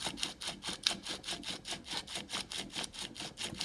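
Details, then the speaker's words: Porsche 996 during clutch and flywheel removal, Sachs clutch, owner noted a broken pressure-plate locating stud. Quick, fairly even scratchy ticks turned by hand, roughly a hundred a minute: abnormal, cause unconfirmed. "but this this noise what do you think of this weird"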